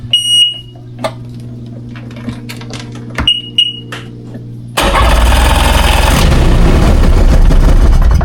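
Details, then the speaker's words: 2001 Ski-Doo 3-up jet ski, non-running, with choke and fresh gas, out of water: quiet hum and beeps, then it catches and roars into a loud, continuous, slightly rough run. Engine starts after sitting. "Oh, she's alive! She's alive, guys. Alright, sounds a little rough around the edges."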